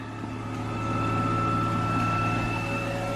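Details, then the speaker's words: Replacement micro hydro PMA generator unit, lid closed to check clearance: quiet even hum with steady fixed tone, no scraping or rubbing; turbine and alternator running normally, though leaks remain. "it's quiet, just as we had hoped."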